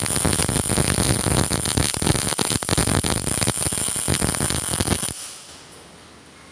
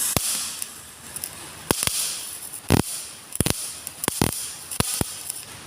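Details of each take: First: GMAW/MIG welder set to about 4.0 m/min wire speed and 17.8–17.9 V after reducing from 4.2 m/min. A steady crisp crackle like frying bacon; wire feed and voltage are well matched. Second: GMAW MIG/MAG welder at the same voltage with wire feed speed lowered: sparse, uneven pops and spits with quiet gaps, like water drops ("blub blub"), with less weld deposit because the wire feed is too slow.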